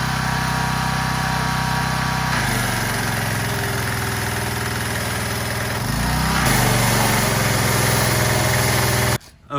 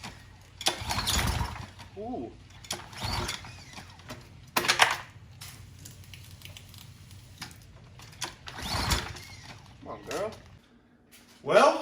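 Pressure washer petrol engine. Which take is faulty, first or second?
second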